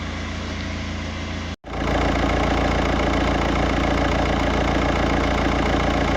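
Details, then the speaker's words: 2007 VW Touran diesel with 117,000–118,000 miles, idling: steady clatter with an even puffing chuff, an exhaust leak at the front gasket, suspected to be back pressure from a blocked DPF blowing past the gasket. "exhaust and he wanted me to repair the gasket but what it turns out to be is i think is a blocked epf filter and it's just back pressure is just blown past the gasket at the front"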